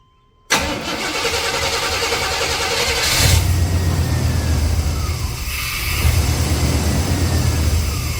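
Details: Chevrolet Silverado 5.7 TBI V8 after throttle body rebuild: starter catches quickly, engine fires and settles into a steady, rumbling idle with no misses or stumbles.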